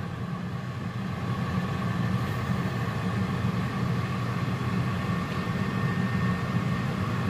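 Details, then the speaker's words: Pampered Chef air fryer on its first initial test run, already heating with trays removed: steady rushing airflow and faint even hum, no rattles or scraping; normal fan operation. "so that's it it does you can hear the air there is a light as well i guess oh look at the light"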